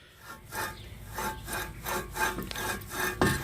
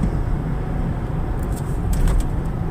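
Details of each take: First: 2004 Ford Explorer rear wheel bearing, removed and rusted, turned by hand with rough, gritty uneven rasping; bearing is shot, nearly locked up and hard to turn. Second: 2004 Ford Explorer cruising at about 40 mph after replacing a rear wheel bearing that had been constantly roaring: only even low road rumble with no growl or hum; the new bearing sounds quiet.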